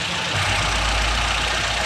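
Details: Opel Corsa 1.4 petrol: steady, even idle with a smooth low hum and no knocks or misses; engine sounds healthy and settled.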